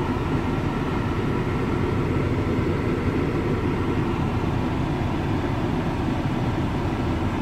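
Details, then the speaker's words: VW Touareg after replacing the noisy A/C compressor and pulley, A/C now cold (about 4 degrees): steady even low rumble, no whine or rattle; original noise gone, normal running. "voilà donc vous pouvez pas vous rendre compte sur la photo mais c'est bien froid ici un et le bruit bien sûr n'est plus là"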